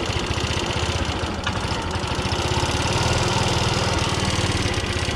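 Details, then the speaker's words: Clapped-out 50cc two-stroke scooter, warming up: buzzy, uneven, stumbling running as bad fuel still comes through the line; rough running from contaminated fuel. "Yeah, there's still some bad fuel coming through that line right now."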